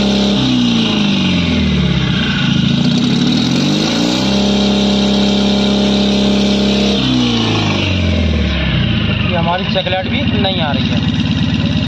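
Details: Mahindra Maximo diesel with long cranking and low pickup complaint, after reading and clearing codes P0193 and P0118: revs up and drops back smoothly several times, then settles into even idle, no misfire; running normally.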